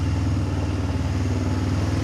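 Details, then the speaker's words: Kazuma 150cc quad after a carburettor clean and a new battery, oil not yet changed: a steady, low, even putter at idle with no misses or knocks. It runs clean, possibly after the automatic choke turned off. "Wonder if that was the automatic choke turning off then. That sounds pretty clean."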